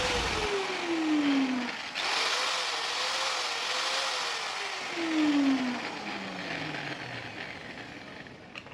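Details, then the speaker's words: Hand angle grinder after servicing: opened, cleaned, gears greased and bolts retightened, to cure a loud knocking gear noise. It spins up and runs down with a fairly even whir and no harsh grind; the noise is greatly reduced and it runs normally. "के लिए परिणामस्वरूप प्रभाव यह गिर गया है। अत्यंत बहुत शोर इसमें कमी आई है।"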